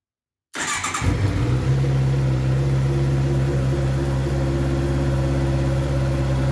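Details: Heavy motorcycle after exhaust repaired, polished, painted and reinstalled: fires up cleanly, settles into deep even steady idle, no rattles or leaks; healthy exhaust sound.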